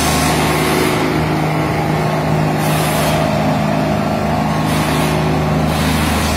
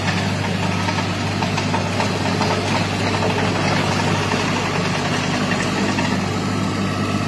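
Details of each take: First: Derette XC1100 tracked loader after the fix for track resonance that made it shake on concrete: heavy, even diesel drone with steady track rumble, no rhythmic shudder or booming; runs smoothly on its tracks, normal running. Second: Derette XC1100 tracked loader driving on concrete before the fix: steady low engine drone with a constant rattly buzz as track resonance shakes the machine, a vibration that often damaged the engine hood lock; later resolved by the manufacturer.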